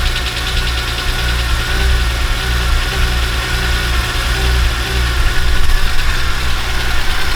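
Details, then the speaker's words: BMW E46 M3 S54B32, first start after timing chains, guides, tensioner, VANOS, oil pump, rod bearings and water pump replaced: low, uneven idle with irregular thumps as excess fuel from cranking burns off; rough running from flooding. "okay it's it was little bit rough because of the initial crr cup because it was sprad some fuel inside and until it burns out"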